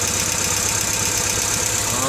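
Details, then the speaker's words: 1995 Honda Civic DX 1.5L at idle: faint, quick, even tick over a smooth idle, easy to miss but constant; light top-end tick of unknown source, owner wonders if valve adjustment is needed. "yeah that doesn't sound right definitely a tick i think it's coming from in there possibly"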